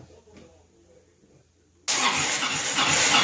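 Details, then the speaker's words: 2002 Honda Reflex scooter, an old beater, cranked by jumping across the wires at the starter solenoid after the button and interlocks gave nothing. The starter cranks loudly and steadily but the engine never fires; fuel, spark or both are still unknown. "hmm okay so we got to figure out what we don't have fuel or spark or both or something but"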